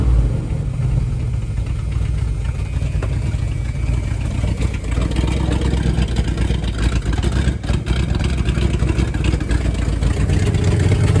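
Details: 1978 Dodge Power Wagon 318 V8 automatic, first start in over a decade, running on a temporary gas tank feed with good oil pressure; deep, even rumble with light throttle blips, running cleanly.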